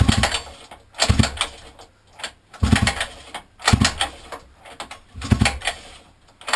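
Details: 50cc mini moto quad left outside a year, fitted with new carburettor, air filter and pull start after old carb poured fuel; repeated pull-start bursts about every 1.5 seconds, turns over briefly but never fires; cranks but won't start.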